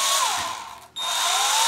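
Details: WLToys V262 quadcopter with a brand-new brushed motor, run at the lowest throttle for break-in: a thin steady whine that drops out briefly, then returns and slowly climbs in pitch. A normal low-throttle run.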